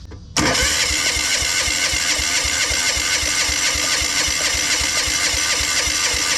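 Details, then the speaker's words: Old military Yanmar diesel portable air compressor, fuel hooked up to test injection pump (part 4C10) after fuel system work: fast even cranking about four beats a second that never fires; injection pump not delivering fuel, to be disassembled. "now not really doing anything the injection pump from the other engine does have a different part number than this one"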